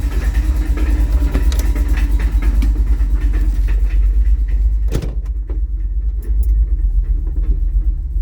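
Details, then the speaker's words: 1984 Dodge D150 with a 360 small block idling in park on the lift; irregular metallic rattle over a rough low idle that stops with a little gas and in reverse; owner suspects a torque converter weight; rattle in park. "as soon as you give it a little bit of gas it stops it's weird"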